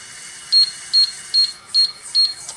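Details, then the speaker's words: Ice machine control sounding an alarm: five short, high-pitched beeps evenly spaced about half a second apart, which the control's alarm chart lists as the freeze timer fault code. "So we got 5 beeps. Alright, so as you heard, we have 5 beeps coming out of this control."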